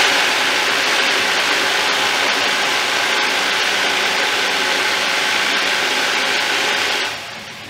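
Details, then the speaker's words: Thumler's UV18 vibratory tumbler, a bit over half full of rocks plus ceramic media, run briefly without the lid for comparison: loud, steady hiss and rattle of churning media at an even pace until switched off; normal running. "Just for comparison, I'm going to run a little bit. So here's the sound without the lid."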